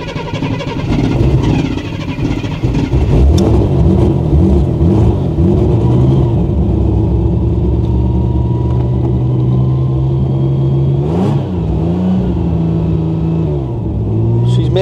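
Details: Ford Granada Mk2 2.8 V6 automatic, parked 20+ years, being driven into the workshop with little brake pedal: revs rise and settle with an uneven, galloping beat and occasional skipped firing; missing on a cylinder.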